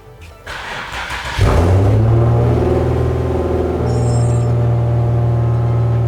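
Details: Infiniti G37 driving out after axle replacement, fixing a clunk and no forward movement after a hard first-gear launch: engine catches and settles into a deep, even rumble as it pulls away, no clunks or grinding from the rear; normal driveline.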